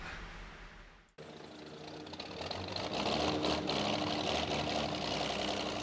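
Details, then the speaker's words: Truck engine started after the squealing accessory belt was tightened; settles into steady running with a faint tone, no belt squeal; quiet, though may not last as the real fix is a shorter belt. "and he fired it up, and it was quiet as it could be."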